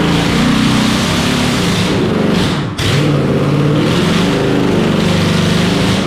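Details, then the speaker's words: Junkyard turbocharged Holden 253 V8 in an HQ, first start: loud uneven roar surging and dipping for a few seconds, brief rough run; owner suspects lean because fuel bulbs weren't filled properly, fuel coming out of carburettor. "Didn't run very long, it didn't sound like it was probably running a bit lean, because I don't know how to fill those fuel bulbs up properly."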